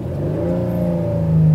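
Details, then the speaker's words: 2006 Chrysler 300 Touring, 71,000 miles, free rev: deep, even engine note climbing cleanly and quickly with no miss, knock or rattle; healthy free rev. "up nice and smooth just want to show you that you know it can this car can do what you ask of it"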